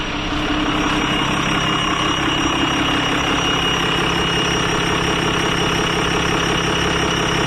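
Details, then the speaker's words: Diesel truck: a steady high scream rides over an even idle, heard only on the intake side while the exhaust sounds normal, like a turbo whining; owner plans a rebuild. Cause suspected, not confirmed. "it's still screaming it's really weird cause it's only doing it on the intake side"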